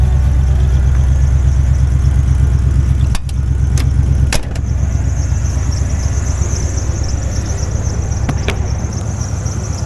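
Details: 1989 Ford F150 idling after fitting a new dual exhaust run out the back, now starting without ether; a deep, steady exhaust rumble with even firing and no knocks or ticks; engine running healthy.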